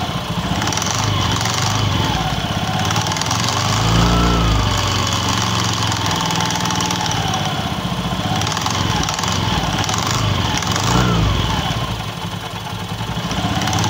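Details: Honda Beat FI scooter idling: loose metallic clatter from the rear CVT pulley riding over the engine, swelling as revs rise; worn rear clutch shoes rattling.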